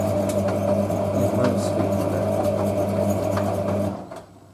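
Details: Hotpoint 9530 Electronic 1000 Plus, Programme 4 50°C coloured synthetics, polyester/cotton load: after the wash fill, entering the heat stage, a steady low motor hum and regular swish of tumbling laundry stop near the end; normal wash tumble.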